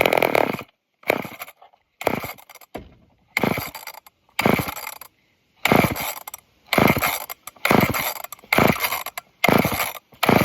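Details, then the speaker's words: Old off-brand Canadian junkyard chainsaw: repeated pull-cord bursts about once a second, each a brief rasping spin that dies away, never catching; cranking no start, owner suspects fuel starvation from a very dirty fuel filter. "Come on. Please. Now it doesn't want to anymore. Wonder if it's having a hard time pulling fuel. Maybe because of that filter being so dirty."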